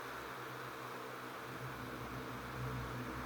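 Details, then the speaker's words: Vintage Windmere (Kuo-Horng) 16-inch oscillating desk fan NR-16/413, bearings in good shape, oscillating on medium speed; even steady whoosh of air with low motor hum, no ticks or rubbing. Normal running. "shaky hands again okay and high and spin down from high so yeah overall really great fan very happy with it"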